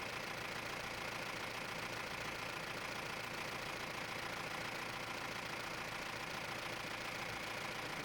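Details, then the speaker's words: Mahindra Roxor turbo diesel after fitting Dirt Legal intake retaining bracket for overboost leak: steady clatter about three and a half beats a second, no hiss or hunting; sounds better than the earlier weird sound, owner suspects the leak caused. "It also sounds much better, I should say, because initially it wasn't. I don't know. It was just sounding weird, but now it sounds much better."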